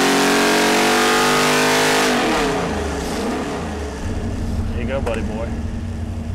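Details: Ford 427 stroker V8 on Boss 351 block, after break-in on engine dyno, early full-throttle pull (around 571 hp): hard high-revving wail holds strong then drops cleanly as throttle closes; healthy full-power pull.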